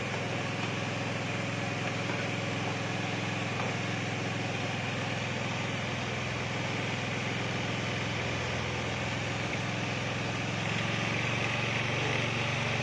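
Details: Honda Beat, standard engine, with a newly fitted PE24 carburettor: steady idle with a soft, dull, slightly lumpy beat around two per second, no crispness; running rich, still needs carb setting.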